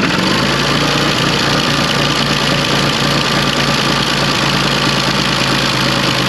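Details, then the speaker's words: 1974 John Deere 350B dozer diesel stumbling and dying as injection pump housing pressure builds; loosening cover plate screws released pressure and rpm recovered; restricted return suspected, black chunks found. "all right so you guys saw me turn the little screw and release the pressure off that little cover plate and It sped up the the RPM sped up and it started to run fine so I've got to investigate why it's doing that"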